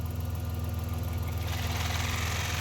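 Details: 1990 Dodge Grand Caravan LE idling after refilling coolant from an airlock; the radiator fan kicks in with a fast, even thumping knock like rod knock plus a rushing whoosh; the fan noise may clear itself or need replacing.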